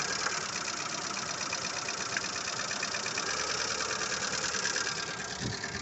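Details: Lada Largus 1.6 petrol engine at idle: busy, light, fairly quick and uneven ticking chatter above a steady idle from noisy hydraulic lifters.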